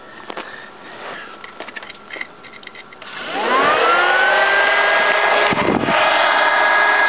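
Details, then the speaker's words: New replacement Volvo radiator fan, mounted on the cleaned radiator and bench-tested before fitting to the car. It spins up quickly and settles into a smooth, steady whir with no rattle or scraping; normal fan operation. "let's give this a so-called bench test before I put it in the car"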